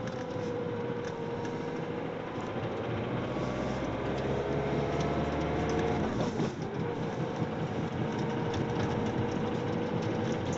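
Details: 2005 Ford Mondeo TDCi diesel engine runs steadily with a dense, busy rattle over its low drone: engine rattling sound.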